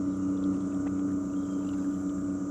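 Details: Shakespeare Sigma 14 lb thrust 12 V trolling motor, roughly 50-60 years old, run on high at about 2 mph: steady even electric hum holding one pitch without surging or grinding; running normally.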